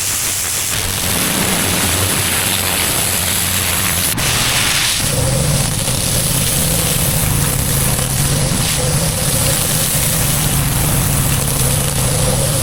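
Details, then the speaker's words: Harbor Freight Predator 13 HP 420cc OHV gas engine on a budget pressure washer, started with choke set, throttle up, ball valve fitted and gun off: quiet idle picks up sharply around four seconds, then settles into a steady, even drone; normal start. "There's no battery, so you just turn it on, and now it's ready to run."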